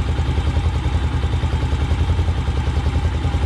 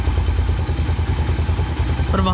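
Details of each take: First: Motorcycle carburetor after idle mixture screw adjusted to about one and three-quarter turns: even, steady low thumping at about three and a half pulses a second, no hunting or stumbling; clean, stable normal idle. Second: Single-cylinder motorcycle carburetor idle mixture adjustment: steady idle thump, speed climbing near the end as the mixture screw is opened toward maximum idle rpm; idle mixture misadjusted.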